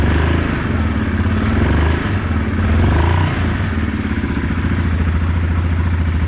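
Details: 2016 Yamaha Kodiak 700 quad after removing the engine side cover, re-torquing the oil pump drive sprocket nut with Loctite, refilling oil and coolant and bleeding air: fires up and settles into a steady, even low thump with no knocks or rattles; normal healthy idle.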